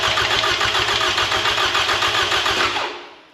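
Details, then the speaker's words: 2007 Toyota Camry 2AZ-FE, freshly rebuilt for blown head gasket and oil consumption, crank sensor unplugged to prime oil: fast, even cranking about four turns a second with no firing, then winding down; healthy oil-priming crank. "we're going to unplug the crank sensor and we're going to crank it I'm going to crank it for like 5 10 seconds until I see that oil pressure light on the cluster go off"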